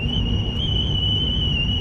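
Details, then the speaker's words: Salvage-auction GMC Sierra driving at about 40 mph: steady high-pitched teapot-like whistle over road rumble, air leaking past a poorly sealed door window with an aftermarket regulator; owner plans to tape it. "Listen to that whistle. It's like a teapot."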